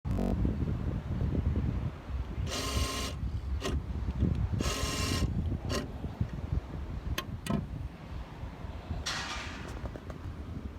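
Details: 2016 Honda Civic fuel door lock actuator makes short harsh buzzing bursts every time the door locks engage; owner asks how to fix it.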